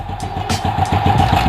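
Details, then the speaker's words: SYM Bonus X110 scooter restarted after about 3 years stored, carb and airbox just refitted: idle with a clattery metallic rattle that comes and goes. Owner opens the lower tensioner and suspects its spring was removed, letting the cam chain slap. "Tanggalin siya ito yung spring kung meron pa. O sa tingin ko guys, parang tinanggal siguro yung spring nito."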